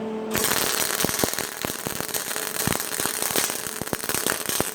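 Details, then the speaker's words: MIG welder on sheet metal, heat setting 2, wire speed at 100: harsh, pulsing crackle with loud popping bursts as the wire pulses, showing too much wire speed. "can hear the pulsation of the wire. Too much wire speed, that crackling noise that you're getting."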